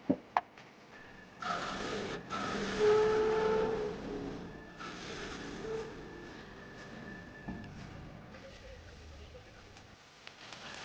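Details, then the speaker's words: Woodturning lathe: faint buzzy chatter with thin steady ring as spindle gouge's bottom edge cleans up a pill box base; tool vibrating on very hard unknown timber, screw chisel used instead. "you just listen you can hear a a vibration noise as I'm using the bottom edge of the spindle gouge to just clean up the base that shows you how hard this Timber is"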